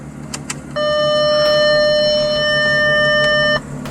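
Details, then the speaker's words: 2010 Audi S4 idling after fresh coils, spark plugs and valve cover gaskets fixed its misfire: steady, smooth idle under a long single-pitch warning chime, no knocking or stumbling; normal idle. "all right so yeah I think we're good everything sounds good"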